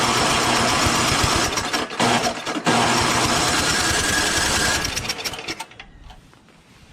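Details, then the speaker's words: Craftsman 5.5HP 24-inch two-stage snowblower before repair, primed, choke, high throttle, electric start: fires, runs ragged and slows then dies within seconds; new RJ19LM plug. "okay so i'm going to prime it a couple of times it's on choke high throttle here we go put it to run and it just slows"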